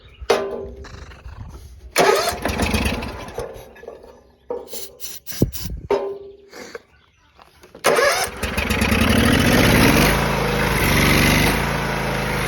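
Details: John Deere X304 lawn mower, sat about two years, after freeing stuck carburetor fuel shutoff valve with carb cleaner, carb not otherwise cleaned: several cranking tries, then catches and settles into steady even running with no misses; normal start and running.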